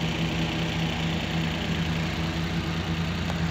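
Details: Suzuki DA64V after repair of low power and engine shaking: steady, even idle with a smooth low hum, no misses and no body vibration. Normal idle.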